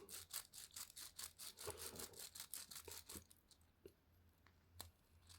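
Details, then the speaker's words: 3D-printed Tiny Toroidal Twist Fan gear stage, gears freed after fusing and worked back and forth on the carrier's M1x8mm dowel pins: back-and-forth rasping, about two strokes a second, thinning as the high spots on the gears are ground smooth. "And then the key is angle one side slightly and then just grind a little bit. And you can hear it's taking off the high spots."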